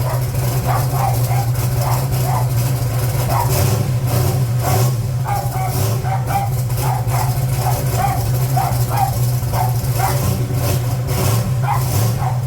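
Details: 1980 Trans Am, Gen 1 small-block Chevy with blow-through carburetor turbo, first start after replacing valve seals with the engine in the car to cure exhaust smoke: deep, steady V8 idle, clean and settled, with a dog barking over it.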